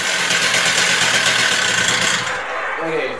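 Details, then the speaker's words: Stihl TS350 cut-off saw after engine rebuild, indoors, after turning the carburetor idle screw two full turns in; high buzzy two-stroke idle holds at a fast even beat without stalling, normal idle. "that seems good for an idle"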